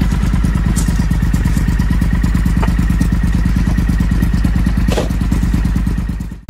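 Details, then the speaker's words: Triumph Thunderbird 1600 motorbike big twin, started after replacing blown fuses, warming up for a couple of minutes before service: deep, steady idle with even lumpy beat, no knocks or rattles, then cuts off. "Had it running for a couple of minutes now, nice and warm."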